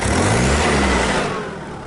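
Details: Ford Ranger / Mazda B2500 after a gearbox swap, breathers switched, with cover and gear stick boot still off: engine revs up and eases off smoothly with no gear whine or grinding under load; gearbox sounds much better, healthy.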